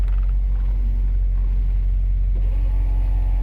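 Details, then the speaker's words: 1957 Mercury Turnpike Cruiser idling at about 600 RPM on the tachometer: deep, even low rumble with a steady beat and no misses or knocks, with a faint motor whine partway through (rear window being operated). Normal idle. "As you can see, the tachometer even works. Look where she's idling at about 600 RPM. Nice and smooth."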